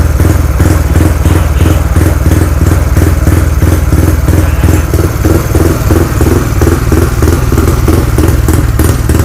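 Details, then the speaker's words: Freshly rebuilt Wave LED 59/5 engine (4-valve head, 24/21 valves, manual clutch, HiSPEED parts), just started after assembly: even regular putter about 200 beats a minute, no clatter or misfires — sweet, quiet idle. "สุดยอดเลยครับช่างเงียบกริ๊บเลยนะ"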